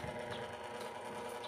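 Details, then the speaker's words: An electric fan on speed one runs slowly, struggling to turn, with a constant buzzy drone and never picks up speed. Bushing or capacitor is suspected; cause unconfirmed. "at kung naririnig niyo yung tunog yan oh iba ang tunog niya pero sa experience ko pagka ganyan ang tunog pupwede yan siyang sa busing or sa dahil sa mabagal hirap siyang umikot"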